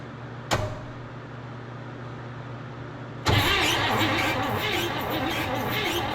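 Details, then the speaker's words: 1958 Chevrolet Bel Air off the road since 1993, coil powered, cranking: a click, then the starter turns the engine steadily but it never fires; no spark because the ignition points are stuck closed, need sanding. "Nothing. Those points closed. There we go. That's for sure closed."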